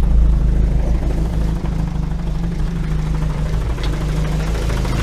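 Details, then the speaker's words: Ford Focus ST170 with GSX-R750 throttle bodies and ME221 ECU, lumpy low idle: gearbox clunks and rattles about three times a second because of a solid flywheel and no sprung clutch; rattle stops when idle rises. "banging noise is the it's because I've got a solid flywheel, so the gearbox clunks around a little bit because I'm not even running a sprung clutch when the idle's low."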